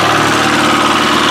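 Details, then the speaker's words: Chevy Aveo, about 100,000 km, run with its oil drained in a no-oil test: engine held around 2000 rpm sounds harsh and rattly, metallic clatter over the drone; already knocking from oil starvation. "the thing that bothers me about this car is that it's revving at 2 000 ish so we're not going to get a full report if it makes you feel any better it's already started knocking"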